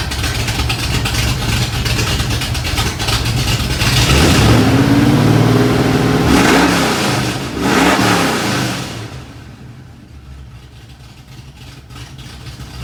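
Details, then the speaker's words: 1986 Ford F150, freshly rebuilt 1996 Explorer 5.0L roller V8 with GT40P heads, E-303 cam, long tube headers, Edelbrock carb, HEI: catches, revs smoothly, settles to even idle, no tapping or misfire; runs great after build. "it's running great and better than ever motor sounds good runs good it's quick"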